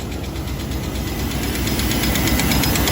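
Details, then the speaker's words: 1993 Chevy Silverado 5.7L 350 TBI after new heads and head gasket, rocker arms not yet adjusted: rapid even metallic clatter about three ticks a second over idle from loose rocker arms; then adjusted. "yeah those are clanking around pretty bad so i just adjusted all the rocker arms"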